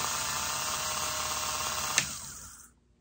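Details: Rebuilt Elson-USA watchmaker's lathe, belt on, first brief test run through an inline on/off switch. A light, even high-pitched whir for about two and a half seconds, then a clean spin-down; the motor runs smoothly. Normal motor run.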